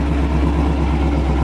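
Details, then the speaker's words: Cammed Camaro SS restarted after codes were reset, following a roadside stall with reduced engine power, StabiliTrak and check-engine lights and a fuel smell: steady, even V8 idle with a lumpy cam rhythm, no misses or knocks; owner suspects tune or leaking injector. "Not a problem. Idling fine."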